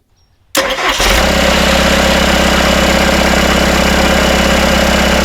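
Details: Rebuilt Isuzu 4BD1T diesel in a Hitachi EX120-2 excavator, first start after rebuild, loose rattling bolts just tightened: it cranks, catches within a second and settles to a steady, even idle at about 1250 rpm with no rattle or knock.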